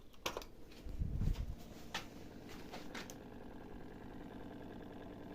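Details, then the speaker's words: Miele dishwasher after repair, with the fascia panel and drain hose refitted: a few clicks and clatter, then a steady low hum as the drain pump runs smoothly. Normal operation. "on entend bien la pompe de vidange une petite mémère qui fonctionne"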